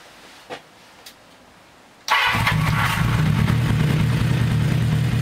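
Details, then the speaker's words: 1982 Kawasaki 750 LTD after replacing all four spark plugs, as a faulty plug left cylinder 1 cold and not firing: the engine cranks briefly, catches and settles into a steady, even idle on all four cylinders. "let's start her up see how she idles and see if you can hear the sound better four cylinders working instead of three"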